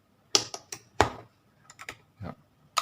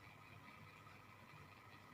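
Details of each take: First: LG top-load washing machine drain motor bench-tested with power applied, the cause of no drain during spin and an error: irregular sharp ticks with a brief buzz, about one to two a second, clicking but not pulling; faulty motor. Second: LG top-load washing machine drain motor bench-tested with power applied: quiet, steady low hum with no rattles, the good motor turning normally; faulty drains cause no water discharge during spin and an error.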